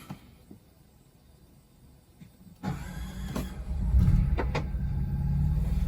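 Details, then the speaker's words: 2023 Coachmen Nova 20C's Cummins Onan generator (0.7 h runtime) had stalled from suspected vapor lock; recall fuel-line hose replaced at Cummins. Back home it cranks briefly, catches and settles into an even low hum: a clean start after repair. "and it just started they ran it at the shop there at the Cummings repair shop for two hours and they said they had no issues after replacing the hose"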